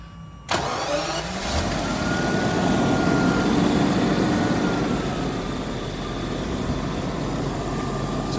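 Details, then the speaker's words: Original-owner 1988 Jaguar XJ-SC, start and idle: quick start, then an even, steady hum with no knocks or misses; engine idles smoothly. "And I'm gonna start it now, so you can hear the engine and how smooth it is."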